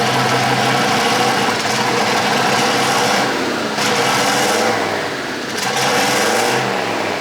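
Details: Polaris RZR with a swapped-in Yamaha Nytro snowmobile triple-cylinder engine, running after its fuel issue was sorted; more sensors still to be added. Steady idle that picks up cleanly on a couple of revs, no stumbling or misfire; normal running.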